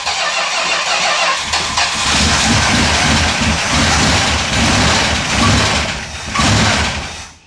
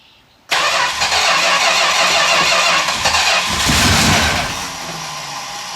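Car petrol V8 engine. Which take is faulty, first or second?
second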